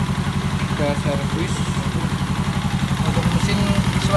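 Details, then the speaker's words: Yamaha Jupiter Z1 (Vega Force) engine after servicing clogged oil passages to the cylinder head: rough, rattly idle with a ticking knock about three times a second that remains; the piston is damaged. "ada suara kritik ya tetap ya karena itu pistonnya yang rusak"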